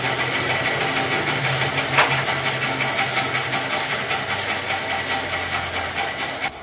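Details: Bandsaw on a trolley cutting wood after tracking and guide-bearing setup: a smooth, even motor hum with a light, steady rasp. No knocks, rubbing or speed drop; it runs healthy with a consistent cut.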